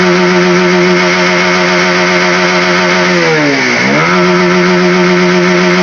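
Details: Honda CB150R after a part is put back in its original position: the engine holds strong, steady high revs, dips briefly and picks back up cleanly, so throttle response sounds normal.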